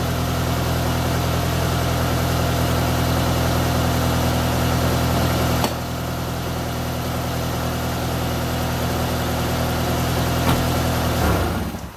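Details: Toyota AE86 after a refurbished gas tank, new fuel pump and fuel filter: shut off, it fires straight back up and holds a smooth, steady low idle with no stumble or knock, then switches off cleanly.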